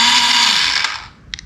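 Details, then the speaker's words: 1985 Yamaha Moto 4 ATV, starter triggered directly: high whirring spin winding down on its own with no cranking beat; starter turns but doesn't engage, suspected starter gear not catching, cause unconfirmed; starter to be removed. "Sounds like we have an issue with the starter gear not catching."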